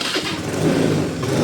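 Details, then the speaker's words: 2011 Honda Scoopy carburettor scooter, about 6,000 km, starting: short uneven starter whirr into a ragged catch before idle settles; somewhat hard starting. "Oke, agak susah ya."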